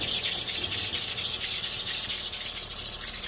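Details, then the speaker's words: Chevrolet Cobalt engine: high, shrill squeal with a fast, uneven ticking rattle about twice a second; the belt tensioner bearing had burst, leaving the worn belt rubbing directly on metal. "Identificando ali da onde tava saindo o barulho, já notei também que a correia tava se desgastando. Em seguida, já corri pro mecânico. Chegando lá, a surpresinha, o rolamento do tensor estava estourado."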